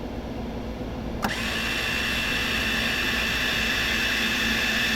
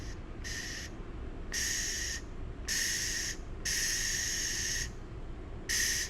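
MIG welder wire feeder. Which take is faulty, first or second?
first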